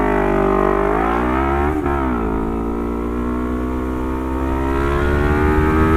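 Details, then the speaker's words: Lexmoto LXR380 single with a full Lextek exhaust system and ECU, baffle out. The engine screams high and steady, dips, then climbs and holds against the rev limiter, which kicked in just over 10. This is a healthy rev cut. "Well, the revs got to just over 10 before they kicked in. The rev limit kicked in, so that's good."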